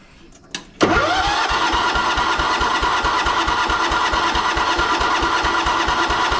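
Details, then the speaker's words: Abandoned 1983 John Deere 210 lawn tractor with cleaned, rebuilt carburetor and fuel pump: steady cranking about three turns a second, no firing; fuel pump not delivering fuel, line dry, clog in fuel line suspected; crank no start from fuel starvation. "Should be spitting fuel out and it's not. And it's still dry in there."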